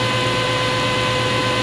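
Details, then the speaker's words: 1990s Delta table saw on a homemade low-cost mobile base, standard belt, running with a nickel standing on it: steady, even motor hum, constant pitch, no knocks or wobble; normal smooth running. "Got my saw going. You can hear it. There's my nickel sitting there. So, yeah, it works."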